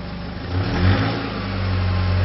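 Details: Nissan ZD30 diesel idling, recorded at the tailpipe, which is putting out lots of clearly unburnt diesel. A deep, uneven exhaust pulse points to an engine misfire.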